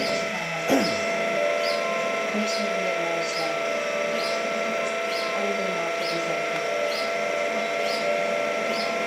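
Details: Linear actuator running with a steady, harsh motor whine and a faint tick about one and a half times a second; loud grinding.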